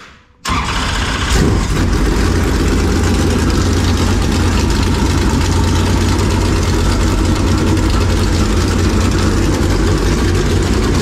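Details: Super Late Model race engine after fixing the cause of a shredded oil pump belt (pump realigned straight with the engine, belt tension reduced): it catches at once and settles into a loud, steady, even lope with no knocks or belt squeal.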